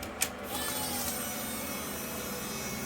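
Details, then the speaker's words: A click at key-on, then a steady even electric hum for a few seconds as the fuel pump primes normally on a 1977 GMC Motorhome Oldsmobile 455 being converted to ACE KillShot EFI, after a failed relay wire crimp was fixed. "Oh, I hear the pump. Okay. Yep, we got the prime."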